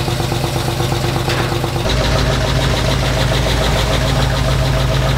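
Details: 1975 Ford Bronco V8 with FiTech EFI after installing Remflex graphite header gaskets: steady, even burble with no ticking; the header exhaust leaks are sealed, normal idle.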